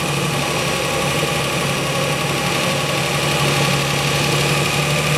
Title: 350z transmission 1jz vibration rattle noise when clutch not in